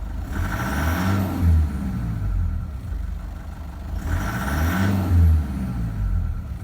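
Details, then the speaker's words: Toyota Prado 1KD-FTV diesel at 273,000 km, idle rocking and surging every few seconds; injector readings abnormal, worn Denso injectors blamed. "okay here we go now it's rocking around a bit these injectors have got problems big time right"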